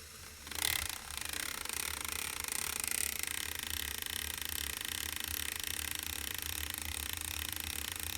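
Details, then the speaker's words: Lego U-joint demo, road mic by the gears, constant motor input: a card flicking the gears gives an uneven pulsing beat about once a second, speeding up as a single U-joint's angle rises toward 20–40°, making the output speed surge. "you should be able to hear that pulsing faster faster faster let's see how much angle this will actually do so the input is totally constant"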